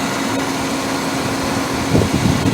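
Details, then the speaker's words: Car at 111,432 miles, about 100 miles after adding Blue Devil rear main seal stop-leak, leak now dry; idling a long while, smooth steady idle with faint fan hum, no roughness or stumbles; normal idle. "And she sounds great. You know, it's no rough, idle, anything like that. Sounds really good."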